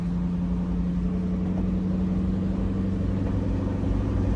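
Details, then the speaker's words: 3V Mustang with Gibson catless X-pipe that has an exhaust leak, check engine light on, sometimes won't rev over 2,000 rpm: a loud, uneven low rumble, running rough. Owner suspects the throttle body needs adjusting. "I'm not going to lie this is [Music] rough so I don't know if I have to adjust this throttle body again cuz it won't let me go over 2,000 sometimes it is extra loud though"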